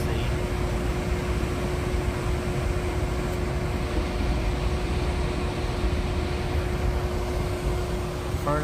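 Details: New Trane modulating gas furnace after the gas regulator was opened and turned up from about 4.1: steady, even roar with a constant hum, no surging or puffing; burner holding a stable flame, normal operation.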